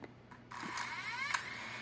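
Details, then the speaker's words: Recently bought DJI Mini 2 drone starting motors: high whirring whine with rising tones and a sharp tick at startup, owner finds it strange, unsure whether normal or defect. "esse negócio que eu achei que tá meio estranho esse barulho mas veio na hora que ele inicia ele faz um barulho"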